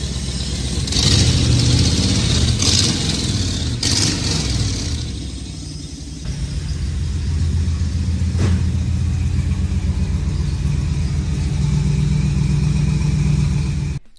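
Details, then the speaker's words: 1994 Chevrolet Camaro Z28 LT1 V8, a tornado-survivor project, revving: rough, with a loud, sharp puffing tick that speeds up with revs; a bad exhaust manifold leak on both banks, with an ill-fitting gasket pinched in after cement failed. "So we have a really bad exhaust leak from there, both sides. But fingers crossed, let's fire it up."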